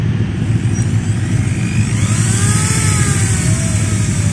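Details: Maktec MT811 drill after bushing repair for a wobbling chuck, reassembled with carbon brushes: steady high motor whir with even hum underneath, no rattle or wobble; drill runs smoothly and healthy.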